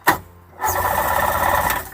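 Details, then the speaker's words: 1994 Seadoo GTX, cranked by pressing the start button: brief click, then about a second of fast starter whirring with no firing catch; turns over but won't start yet. "Keep going. Hear that? It's starting a little bit."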